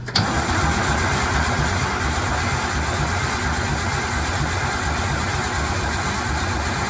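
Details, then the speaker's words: 1975 White 2-150 tractor, diesel dormant 19 years, engine still a bit warm: even starter churning at about 85 beats a minute that never catches; oil pressure near 20 psi but no fire after many attempts, Aerostart considered. "still no bloody fire though felt like it was going to go then but have said that me had 40 times already too"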